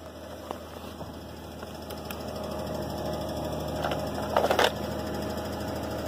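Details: 2005 Hyundai Santa Fe 2.7 V6, first start after seven years standing, with the corroded fuel line replaced with 7mm hose and jump leads on. Steady low hum with a few light clicks; the V6 idles smoothly without misfire or knock, no fuel leaks.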